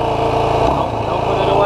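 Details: 2016 Yamaha YFZ450R SE quad after the throttle position sensor was set to 0.81 to cure the factory low-rpm bog: the single picks up cleanly on a quick blip and settles without stumbling; the bog is gone.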